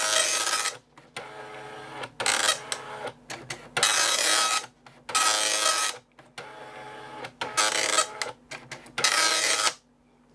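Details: Amstrad DMP3000 dot matrix printer self-test: raspy buzzing bursts as pins fire across each line, pauses for line feed and carriage return; pins earlier seemed silent, now printing normally.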